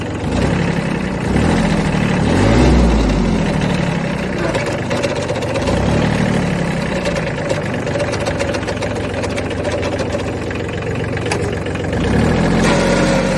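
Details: Kubota B7100 HST diesel tractor: loose, uneven rattle of roughly four beats a second that swells as revs rise; source unclear.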